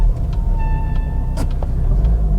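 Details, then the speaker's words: 300,000-mile Volvo XC70 D5 diesel on a freezing day, discs known to be in poor condition: clear high-pitched squeal over road rumble for about a second while braking; brake squeak, handbrake also feels loose and needs adjusting. "bit of a squeak there. Feels a bit, handbrake needs adjusting."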